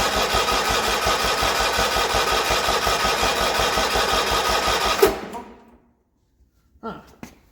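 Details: Original 1980 John Deere 317, not run in about three years after an earlier electrical no-crank fault; plugs cleaned and refitted. Steady starter chugging at about three compressions a second for five seconds, never fires. Battery 12.5 V falls to 9.8 V cranking. Cranks but won't start.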